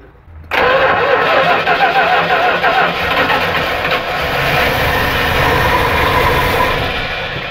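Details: 1974 Dodge Winnie Wagon B300 van being started with carb cleaner: long rough crank, starter churning unevenly, engine half-catching and firing raggedly, never settling into even idle.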